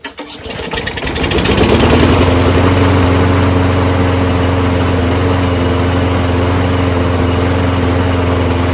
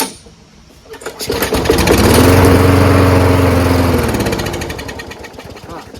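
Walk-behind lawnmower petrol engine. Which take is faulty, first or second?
second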